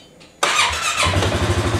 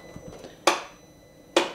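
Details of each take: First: Healthy 2018 Polaris Sportsman ACE 570 for comparison with a 2019 one that cranks slowly with a suspected bad battery: catches almost instantly, settles to steady even idle; normal quick start. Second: 2019 Polaris Sportsman ACE 570 ATV gives two sharp single clicks about a second apart and no crank; earlier it cranked very slowly. Owner suspects the battery, maybe the starter, unconfirmed.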